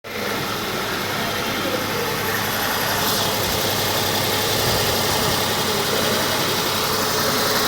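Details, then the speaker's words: Tata Tiago petrol engine with white smoke, low pickup and poor mileage, idling unevenly with a stumbling beat; misfire traced to cylinder 3 after checking plugs, ignition coils and injectors. "कितना miss फार कर रहा है engine बस बस बस बस बस बस बस भाई क्या हो रहा है भाई जैसे लग रहा है पूरा पानी आ रहा है पेट्रोल की जगह"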